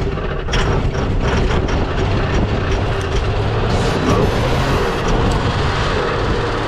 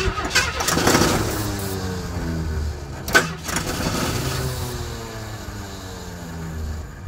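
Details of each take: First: 1977 AMC Pacer parts car, run on fuel poured into the carburetor in freezing frosty weather: deep, steady low rumble holding an even idle with no knocks or misses; runs cleanly, sounded pretty big. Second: 1977 AMC Pacer with A/C, a parts car, in freezing frosty weather: steady cranking for a second, then catches and fires on fuel poured into the carburetor, settling into an uneven run; sounded pretty big.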